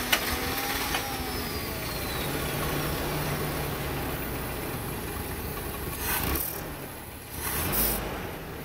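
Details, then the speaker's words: 1987 Toyota pickup (Hilux 2WD) with 22R engine that won't idle: it only keeps running with throttle held, and revs wander up and down unevenly without settling. A vacuum leak is suspected, so cleaner gets sprayed around to hunt for it. "you have to keep the gas on it we have to do some poking around all right so all right so i'm gonna look for a vacuum leak"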